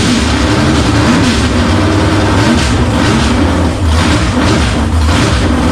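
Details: 1954 Henry J gasser, 327 V8 on engine stand, timing uncertain, oil pressure present: steady loud low V8 rumble with no audible die-off; engine stalls after start, owner suspects a dead fuel pump since the line delivered no fuel.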